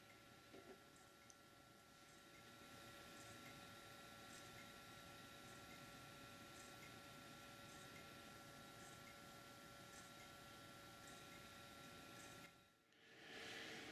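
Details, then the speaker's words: PlayStation 3 playing a Blu-ray, about 10 minutes in, after an earlier repair for overheat shutdowns: steady loud fan rush with a faint whine, no clicks; suspected cause is worn thermal compound between heatsink spreader and chip die; overheating fan noise. "So we're about 10 minutes into the clip, and I guess you'll have to believe me when I tell you that it was actually quite a bit louder when I first tried playing a Blu-ray in it."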